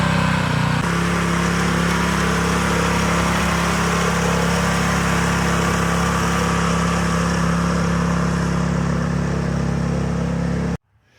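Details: Scotts tiller with the trashed original engine replaced by a DeWalt pressure washer engine, run after the swap: fast, steady, even hum holding speed, then cut off at the end. Swapped engine runs healthy.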